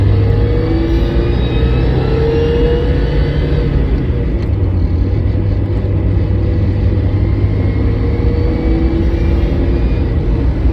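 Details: Car clutch abnormal-noise check: a steady low drone from the running car with a faint wavering hum on top; clutch noise heard, cause not identified.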